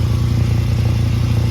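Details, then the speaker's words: 2011 VW Golf Mk6 wagon idling: loud, deep chuffing rumble under the car from an exhaust leak, a big hole at the top of the previously patched pipe section under a rusty clamp; no leaks suspected near the flex pipe. "yeah so I think it's just right here [Music] big hole at the top"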